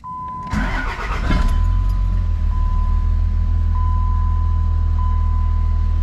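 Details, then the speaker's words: 2005 Dodge Ram 2500, 5.9 Cummins diesel with water-in-fuel dash light lit for days: cranks and catches with uneven clatter, starts a little rough then smooths out and runs fine; owner suspects a little water at the filter bottom. "It starts up a little rough and then smooths out, and then it runs just fine."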